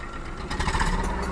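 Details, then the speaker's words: 3-cylinder engine at idle with abnormal vibration and an uneven, stumbling exhaust beat with random dropped pulses; cylinders randomly misfiring, fuel leaving unburnt, judged from the exhaust. "இப்போது 4 சிலிண்டரில் 3 cylinder, ஒரு சிலிண்டரோ இல்லை 2 சிலிண்டரோ ரேண்டமாக miss ஆனால் எப்படி இருக்கும்? அந்த மாதிரியான ஒரு சிம்டம்ஸ் இந்த நம்ம எக்ஸாஸ்ட் வழியாக நல்லா தெரியுது."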